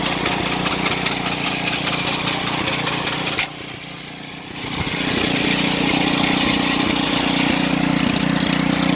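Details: Snow blower small engine: rapid rattling buzz that drops out briefly, then returns with a steady tone; abnormal running noise, cause unknown.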